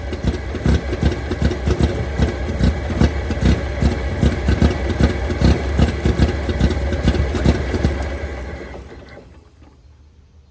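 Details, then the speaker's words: 1923 Franklin Model 10, first start after sitting 76 years, fuel nearly dry, throttle set by hand: low uneven thumping idle around two and a half beats a second, stumbling then dying after eight seconds; rough, unsteady idle. "there we go there come on pick up that thing sounds good it ain't idling exactly"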